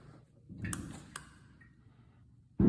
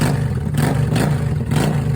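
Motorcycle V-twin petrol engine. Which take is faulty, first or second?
first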